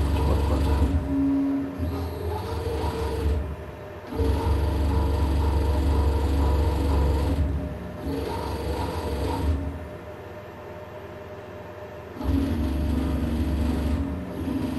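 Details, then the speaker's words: CNC milling machine Z-axis servo after restoring feedback values, P gain 30: axis moves in even bursts with light mechanical ticking, no hunting or chatter; much smoother but not perfect. "Okay, I can hear it is better, but not perfect. Let's check. So what did I do? I had fast forward here. Oh, it's much better."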